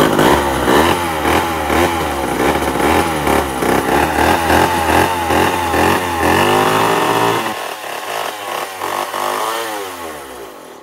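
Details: 1965 (believed, not confirmed) Remington Super 754 two-stroke chainsaw, first start after long storage, possibly flooded: buzzes high and uneven, surging and sagging before winding down; runs unsteadily, needs cleaning before further running.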